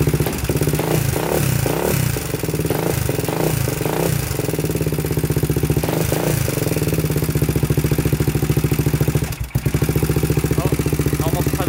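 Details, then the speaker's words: 2000 Honda 400EX single with cheap eBay piston and cylinder, first start after solenoid and clutch cable fix: loud metallic top-end rattle clattering with each idle beat, no smoke; slack cam chain, later tightened. "i don't know what you guys think sounds kind of kind of weird like there's a tick in the top end it's not smoking out the back end so that's good"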